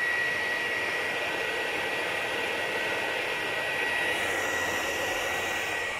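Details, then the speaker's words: PlayStation 4 Pro with overheating processor and aged thermal paste, before cleaning and repasting: loud steady rushing roar with fixed high whistle like a vacuum cleaner; cooling fan running flat out. "Arkadaşlar bu videoda elimizde bir tane PlayStation 4 Pro var bunun işlemcisi çok aşırı ısınıyor şu an sesi duyuyorsanız aynı elektrik süpürgesi gibi çalışıyor"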